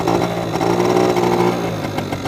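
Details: Honda Spree two-stroke scooter, freshly washed with exhaust repainted, weak battery: it burbles along at a steady idle with a buzzy even beat, running clean with no stumbles.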